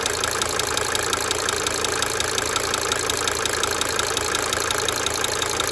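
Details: 1992 Mercedes-Benz 300D 2.5 turbo diesel idling for several minutes, brief talking at start; a light, fairly even tick about three per second rides on top, coming and going: cyclic injector ticking at idle.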